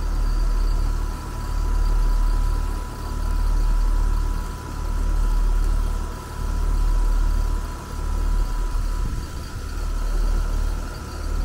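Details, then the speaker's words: HVAC compressor hums deeply, swelling and fading evenly, with a slight whine and light pinging; pressures fall very slowly and stall around 130 instead of pumping down to zero, so the compressor has failed and no longer pumps. "So yeah, this compressor is definitely failed. It's just not pumping anymore."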